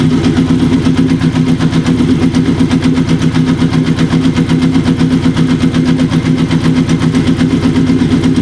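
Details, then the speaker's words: Kawasaki KZ750, sat for about 10 years, with new intake boots fitted to cure a vacuum leak, during mixture/idle-drop adjustment on cylinder three before carb sync: a quick, slightly uneven idle at about four pulses a second, still settling and already improving. "already we can hear a change a nice change starting to happen already and that's even before we do a sink so hopefully you guys can hear that too"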